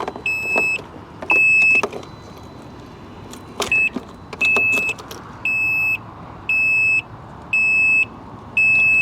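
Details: Salvage motorcycle with no key, previously laid down on its side: start button does nothing, and repeating high beeps sound about once a second, each around half a second long, until the safety message is cleared.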